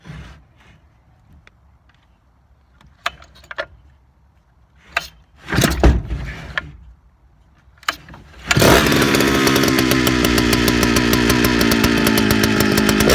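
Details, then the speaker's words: Big Jonsereds chainsaw starting up and running at a loud, fast buzz that wavers, coming in and out as if struggling for steady fuel; owner suspects fuel line or seals, may need a carb kit. "you can kind of hear coming in and out is hit or miss almost sounds like it's having a little bit of trouble keeping a steady stream of fuel"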